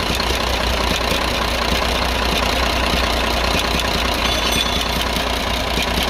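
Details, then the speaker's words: Dongfeng truck with 24-valve Cummins 340 heavy-duty diesel, loaded, smoking and losing pull; after tappet adjustment it idles with rough clatter and light tick two–three per second; noise returned, owner suspects tappets loosened again. "बंद करो तो आवाज फौरी तौर के लिए बंद हुई थी मगर दोबारा से आवाज आने लगी तो मुझे लगता है शायद यह दोबारा से ढीला हो चुका है"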